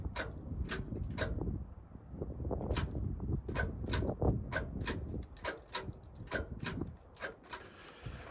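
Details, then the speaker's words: Old Ford tractor, key on, fuel on, in neutral: sharp irregular relay clicks about three a second with no cranking behind them; starter not engaging due to a poor connection, and it tried to turn over after connections were adjusted. "it does this sometimes you can hear the relay clicking but the starter's not"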